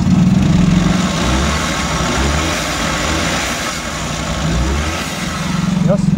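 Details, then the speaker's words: Suzuki Every Wagon small petrol engine, after fixing a misfire on cylinder 2 that caused vibration, revs up and settles back smoothly with an even note, no misfiring or stumbling. "Okay na. Ayos na. So ayos na. Wala ng mispfiring. Wala ng palyado."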